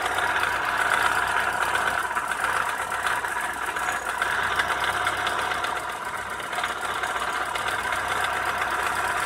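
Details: Opel Astra F 1.4 8v Si (C14SE) petrol idling with loud grinding, rasping and steady knocks seemingly from the lower engine; owner suspected timing or bearings, but the cause was a failed coolant water pump, and replacing it made the engine quiet.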